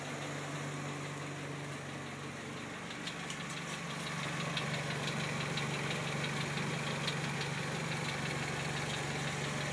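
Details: Loud, sharp regular ticking at about three clicks a second over idle from a Genesis 2.0T turbo engine, starting after its first oil change.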